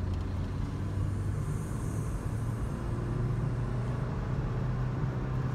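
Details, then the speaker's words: Honda with a worn manual transmission, driving in second gear: steady low engine drone held at high revs under load with no rise or fall, signalling an upshift; after shifting into third it calms and rpm drops. "that sound is how I know I need to shift so then I shift into third and see how it's a lot more calm and the RPMs go back down"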